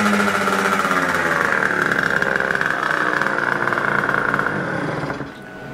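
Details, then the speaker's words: Rieju MRT two-stroke, warmed up, with cleaned carburettor, 80 main jet and cone filter: now revs cleanly to high rpm without bogging, a marked power improvement over the earlier failure to rev; a smaller 75 jet is suggested. "słyszycie jest znaczna poprawa tego co się tam działo z mocą ale jeśli ten silnik już się teraz kręci do do tego momentu do tych obrotów to znaczy że jest dobrze"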